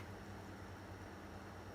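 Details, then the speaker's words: Xbox One S console after cooling fan replacement; the old fan was noisy and caused repeated overheating shutdowns. Now a soft, steady whir with no rattle, scrape or wavering pitch, moving plenty of air. "that's a lot better than before."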